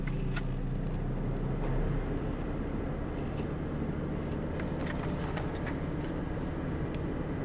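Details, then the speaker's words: 2011 Ford Fusion Sport just after throttle body replacement for P2104 and P2112 codes, battery reconnected, idling with AC on; quiet, even idle without surging, running fine. "Seems to be just fine so far."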